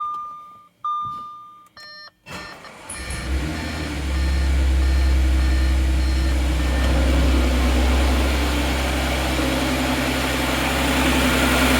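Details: 2014 Audi S4 3.0T, 106k miles, modified and tuned, failed randomly while driving: after beeps it starts and idles with an even knock underneath, about 160 a minute; rod knock.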